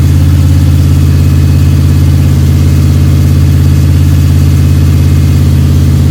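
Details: Freshly rebuilt 302 Cleveland V8 with a Holley Sniper and electronic distributor, about 20 minutes into cam break-in: deep, even idle with a steady low throb, no misses or ticking. The cam is running and the engine sounds sweet.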